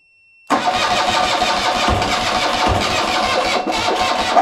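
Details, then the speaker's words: 1975 BMW R90 boxer twin, first start attempt after 12 years of poor storage, fuel in carbs and cylinders, on a booster with weak battery: several seconds of steady, labored cranking with no firing catch; won't start. "voilà le booster a fini mais c'est pas si mal que ça bon on va refaire un essai mais c'est très long à cause de la batterie"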